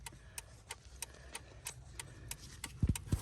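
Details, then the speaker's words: Ford Escape turn signals cutting out though hazards work: crisp, even flasher relay clicks about three per second from under the dash by the hood release, stopping then resuming when the blue box is moved; wiring short or burnt pins suspected. "It just shut off, see? And if we hit it again, you hear it clicking again."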